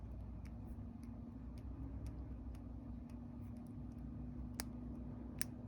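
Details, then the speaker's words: Traxxas Maxx RC truck cush drive assembly turned by hand after gear noise at the track: a couple of sharp loose clicks from free play; rubber elastomer damper inside the cush drive suspected worn. "you hear that? That tells me that rubber seal inside I think is worn out, and I'm hoping that that's the problem."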